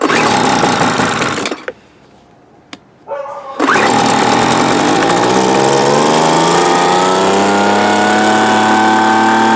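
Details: 1997 Weed Eater BV1800 24cc two-stroke blower, original carb unavailable, running on a carburetor assembled from three junk carbs, primed and choked: steady high-rev buzz after stall and restart, pitch drifting slightly; runs fairly well but needs a proper carb.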